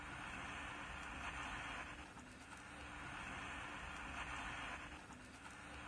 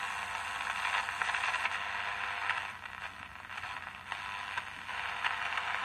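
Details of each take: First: Emperor AIE-641 1970s single-battery portable transistor radio, bought as non-working: only a faint, pulsing hiss with no programme sound; an open coupling capacitor into the output stage is starving the amplifier, leaving output very quiet. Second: Emperor AIE-641 1970s single-battery portable transistor radio after repair and reassembly, tested with a small transmitter: clear, steady, louder radio sound with crackle, no hum, buzz or distortion; normal audio output.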